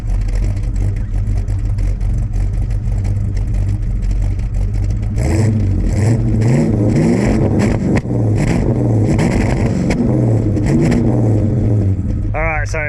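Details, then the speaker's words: Ford XF Falcon ute, 351C V8 with 4-speed Top Loader, timing not yet set: deep burble stumbles and cuts out around 1500–2000 rpm, won't pull cleanly; owner suspects fuel starvation, cause unconfirmed. "it uh it's good for about 1500 to 2000 RPM then just dice it cuts out so it's not getting fuel"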